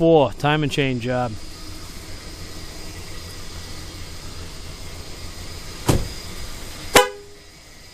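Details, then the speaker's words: 2002 Ford Explorer idling after a timing chain job: a few short, clear horn toots, strong and steady in pitch, then quiet idle. The horn works properly. "works horn blows driver ha ha ha"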